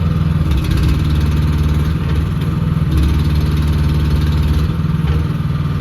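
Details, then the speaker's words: New, unused 2024 AGT L13R cab mini excavator: a smooth, steady low diesel drone with an even beat and no knocks, rattles or squeals; a healthy engine running. "so yeah I'll fire it up let you hear it run kind of move it around a little and that'll be that"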